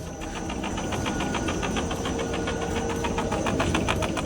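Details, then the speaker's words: Audi A4 B8 on a vibration test rig: rapid rhythmic squeaking, three to four chirps a second, over a low rumble from the coil spring; the rubber stop pad sits on top, and pressing the spring stops the squeak, which returns when released. "По диагностике выясняем, что скрипит пружина. Не издаёт такие противные звуки. Её поджимаю. Оп, всё, скрип прошёл."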